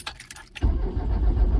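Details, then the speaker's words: Truck that sat for many years, with a completely flat battery, on a lithium jump starter: a few quiet clicks, then steady slow cranking that churns on and almost wants to start but doesn't catch; no start due to flat battery. "The jump starter's doing its job, but the batteries, I got a battery that's just so flat dead. Huh. It's almost wanting to start it even."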